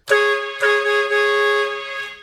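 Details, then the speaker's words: Chrome Chinese boat air horn on a single canister, tested against vintage Hadley horns: two sharp blasts settle into one loud, steady, clean tone, about 127 dB, fading evenly; normal air horn. "All right, one horn, that's it. That's what it sounds like."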